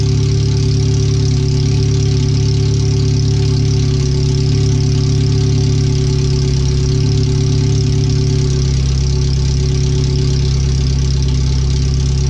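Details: Car on new header only, no rest of exhaust, first start after header, fuel filter and O2 sensor relocation, computer reading 5–7% rich: very loud, deep, steady unmuffled idle bark.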